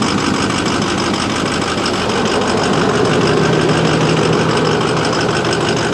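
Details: Ford F350, believed 2009, Power Stroke diesel dual rear wheel, cold day, battery a year old: clattering idle with uneven stumbling beat about three a second, heavy smoke; sounds like a miss on one cylinder, cause unconfirmed.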